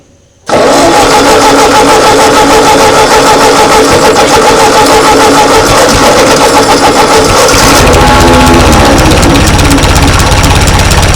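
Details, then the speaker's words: 1939 Ford tractor that sat in a field 20+ years, choke line removed, cranks for ten seconds with irregular chuffs but no steady firing. It cranks best with the choke almost fully closed. Hard cranking. "So seems like it's cranking best when it's almost totally closed."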